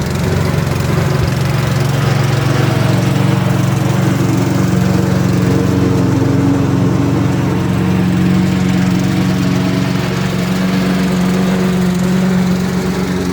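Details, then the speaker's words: Ariens/Husqvarna riding lawnmower single-cylinder engine after a new carburetor, intake manifold, head gasket, flywheel, battery and ignition; steady low chug at constant speed with no knocks or misses, running healthy. "all right and just like that we uh we turned a pile of Parts into a uh running cutting driving machine"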